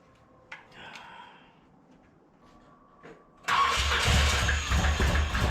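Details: 1981 Corvette engine freshly reinstalled, timing checked correct, valves open and close (owner assumes none bent): catches loud and ragged with uneven pops, backfiring out the carburetor secondaries; carb soaking wet, owner suspects too much fuel despite adjusted floats.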